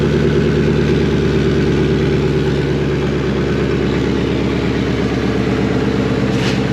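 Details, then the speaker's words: Ford F250 5.4 Triton turbo build, GT45, custom up pipe and manifolds, first start with exhaust straight out of turbo: steady throaty V8 burble, even pulses, no misfire or rattle, quieter than expected; healthy idle. "not nearly as loud as I thought it'd be."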